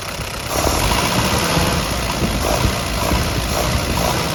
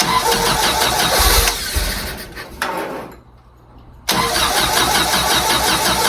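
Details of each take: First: 1952 Willys CJ5 F-head engine with a new Universal Daytona carburetor, after plugs, wires and distributor were redone, holds a deep, even, steady idle with no knocks or stumbles; engine running well. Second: 1952 Willys CJ5 F-head four with new Daytona universal carburetor, fuel filter and coils after years sitting: cranks, catches, drops out, refires and holds a fast busy idle; owner suspects the throttle sticking open.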